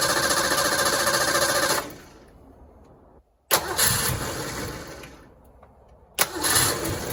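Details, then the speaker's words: 1986 Ford Mustang GT V8, original miles, long sat, fuel gauge barely moving, weak fuel pump priming; catches, runs briefly, dies, restarted twice and barely holds; owner suspects bad fuel pump or its hanger hose. "Heat. All right. So, I'm pretty confident we got a bad fuel pump here."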